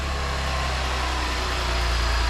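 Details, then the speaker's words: 2022 Chevrolet Blazer rebuilt after a crash, first start after engine reinstall before first test drive: fires right up into a steady, even idle with no knocks, ticks or misses; normal idle. "That's a good sign. Yeah, fired right up, eh?"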